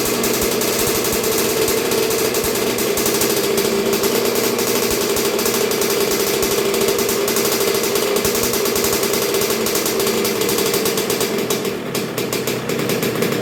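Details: 1986 Honda CR125R two-stroke, new .060-over Wiseco top end, during break-in heat cycles with Keihin PJ carburetor: loud, crisp, rapid crackle revving cleanly and evenly, no misses or rattles; running well.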